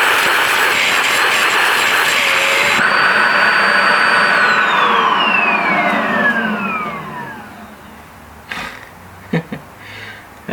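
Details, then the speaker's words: Wet-vac carpet and seat extractor used on a Renault 11 interior: loud steady suction roar, then sudden pitch shift and falling whine as the full dirty-water tank's safety float cuts off suction; tank already emptied twice, owner thinks a bigger unit needed. "c'est pour ça qu'il me faisait le bruit tout à l'heure en fait c'est parce que il y a un flotteur dedans qui met en sécurité pour éviter que de remplir tout ça et en gros bah il était déjà plein"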